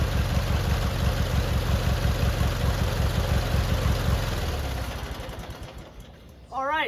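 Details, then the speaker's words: Free abandoned lawn mower, engine turned by flywheel and oil checked before first start: low, steady twin-cylinder putter with an even beat, no misses or knocks, before winding down; fires up and idles normally. "we got it to fire up and run and idle and do all the things we needed to do"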